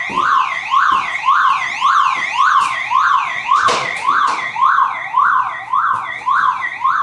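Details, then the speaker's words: Car alarm going off after its horn/speaker wire was cut: siren sweeps up and down about every 0.6 seconds, thinner and weaker with no horn blasts. "okay and now as we can see there is sound is weaker and I have eliminate this my car horn"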